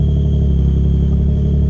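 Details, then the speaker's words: Nissan G35 with VQ35DE, sat for months, just jump-started; it catches and settles into a steady, even low rumble with no knocks or misses; owner says it idles and sounds healthy; normal idle. "It seems to be doing pretty good. She needs a little love for sure, but yeah, she idles, sounds healthy."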